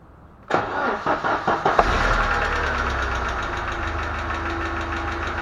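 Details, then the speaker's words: ZMZ-409 petrol engine cranks and idles with a light quick ticking from the top end: a tapping hydraulic lifter, before valve cover removal. "Значит, застучал гидрокомпенсатор. Буду разбирать, смотреть, разбираться, в чём дело, и устранять виновника шума."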